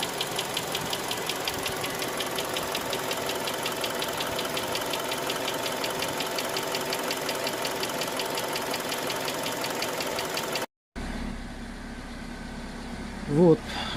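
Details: Hyundai Creta 2.0 engine, warm idle: steady quick light knocking tick over engine note; knock comes and goes between days, origin unknown to owner.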